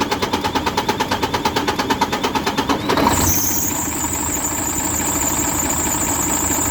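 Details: Mercedes Actros MP2 truck diesel: rapid even cranking pulses for about three seconds before it fires and settles to a steady run; hard starting fault.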